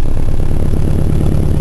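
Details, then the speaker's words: Truck brought in to diagnose a miss, dash apart after computer replacement: lumpy, uneven idle with a regular, pronounced stumble; misfire on number four cylinder, spark and plug okay, traced to low compression. "hear that Miss it's pretty pretty pronounced but anyway I brought it into the shop there it was a Miss on the number four cylinder"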